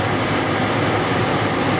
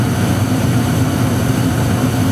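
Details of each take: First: Trane XE80 furnace: steady, even blower airflow rush with no burner roar, so the blower runs but there is no heat. Owner suspects the gas switch or a bad control board; not confirmed. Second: Trane XE80 gas furnace that kept losing heat (owner suspects gas switch or control board), after cycling the main gas valve, igniter lights then flame: steady low burner roar with an even rush, no popping; burner lit, heating normally for now.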